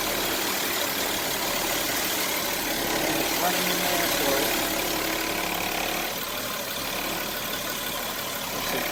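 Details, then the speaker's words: 2008 Audi Q7 after radiator fan assembly removal and reinstall, with retrofitted brushes in the small fan: steady, even rush of air from all fans over a quiet idle, no ticking, scraping or wobble; normal cooling fan operation. "Alright, well, everything's back in, turned it on, all fans are running."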